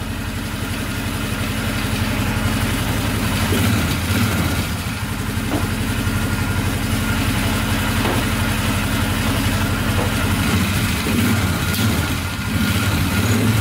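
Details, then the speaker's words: Polaris Sportsman 500 4x4 ATV after its no-spark problem was fixed, running with no smoke. A few light throttle blips on the single pick up cleanly and settle back with no misses; it revs normally. "yeah everything's smooth really smooth it's running great no smoking let's give it a little throttle here"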